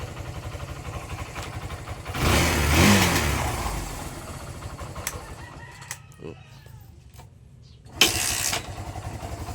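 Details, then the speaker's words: Barako 175 single-cylinder motorcycle, cold engine, after carb tuning, float valve seat, valve clearance, camshaft decompression adjustment, new spark plug cap, extended HT wire: catches at once on one click, even idle about three beats a second; normal cold start. "Hindi na siya mahirap paandarin. Yun one click kahit ma lamig ang makina"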